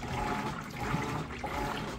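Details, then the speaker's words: Kenmore HE top-load washer, cleaned and tested, agitating a load: steady swishing water with soft, even churn, no knocks or grinding; agitator pulls clothes down in a vortex, nice quiet smooth operation. "the agitator in the middle is doing an excellent job pulling those clothes down then they come back up on the sides and it's kind of a vortexing motion"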